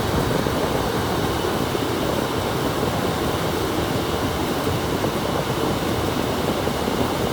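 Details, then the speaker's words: Rheem gas furnace with AC, board in wet humid environment: thermostat red and green jumped, condenser starts immediately and blower runs high speed; steady airflow and fan roar, no rattles; water damage suspected of harming boards. "jump red and green and you hear the condenser come on immediately and then there's high speed"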